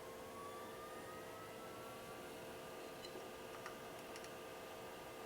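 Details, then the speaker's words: Hikvision DS-7608NI-K2/8P NVR, before fan swap: loud steady mid-pitched hum with airy hiss from the power-supply fan, to be replaced with a silent Noctua NF-A4x20. "now the reason why I am replacing this fan is because it's pretty loud"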